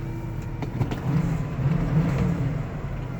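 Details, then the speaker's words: Low-mileage 1976 Cadillac Eldorado convertible V8, just started with engine temperature in the 60s. A deep, steady burble is held on high idle and begins to ease down; the cold fast idle is working normally. "we get eighth of a tank still up on high idle so just got it started and gin temp was about in the 60s when I fired it up"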